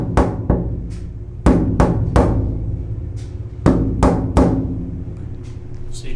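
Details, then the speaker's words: Floor panels riveted to the chassis, freshly coated with wet Secondskin Spectrum undercoat/deadener: sharp taps each leave a short metallic ring, so the panel is still not fully damped before the coats dry. "still kind of hear that ringing a little bit so we'll let these let these coats dry and see see how that changes"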